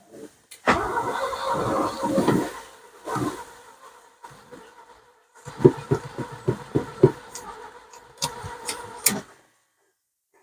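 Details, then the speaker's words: Old BMW engine after replacing leaking fuel line clips, fuel pump heard running: starter cranks in rhythmic bursts with pauses but never fires; crank, no start, owner guesses no spark though fuel is coming in. "okay uh so I'm guessing now probably we don't don't have spark so yeah so uh I don't know why this is becoming frustrating but what I'm sure is the fuel is coming in"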